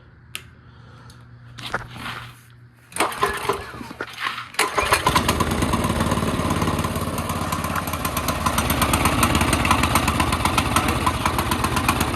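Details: CT200U minibike on a stand, just after the Stage 1 kit install with a new cone filter: a few sputtering pulls, then an uneven popping beat instead of a steady idle, with heavy smoke and possible backfiring. Rough running, cause suspected.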